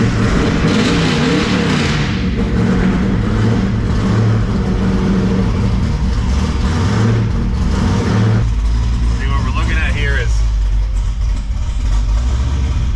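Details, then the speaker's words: Twin-turbo LSX-swapped Escalade ESV breaking in its new engine, which earlier idled around 1,600 rpm; the idle air control stepper reads 225, fully open, yet it idles only 860 rpm. Deep V8 idle, low and wandering; IAC suspected. Low cold idle. "it's at 225 right now which is all the way open and it's only idling at 860"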